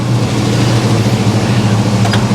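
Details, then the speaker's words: 1974 Chevy El Camino 327 V8, which would not stay running the day before: fast steady idle with thick low rumble, running rich and idling too high; stalls when gas tapped; owner suspects fuel tank, unclamped lines, questionable carburetor. "try it again just see just see what she does wow definitely idled up too high but i mean she's"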